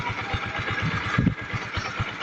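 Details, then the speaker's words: Kawasaki Rouser 135 after repair, run with the head cover off to confirm oil reaches the top end: soft, even idle thump about five beats a second, no ticking or knocking; very quiet now, no oil leaks. "So yun lang mga idol, no? Napakatahimik na ng andar nito."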